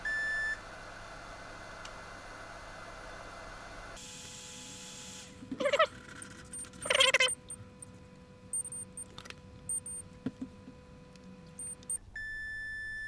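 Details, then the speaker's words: Xbox One S (Beep On Beep Off, corroded, HDMI port destroyed) HDMI port pins being checked after resoldering (pin 19 reattached); multimeter continuity brief high beeps as probes touch neighbouring pins, revealing a solder bridge. "I think they look okay with no bridge in so let's just try and check them this will beep if they're touching"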